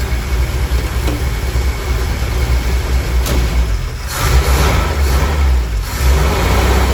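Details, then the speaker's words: 1962 Willys pickup 226 six after sitting about two years, carb rebuilt: low, uneven rumble that surges and dips when revved, still cold. Running rough; oil added to cylinder 3. Cause not yet clear. "still cold so it's hard to tell if it's running a lot better"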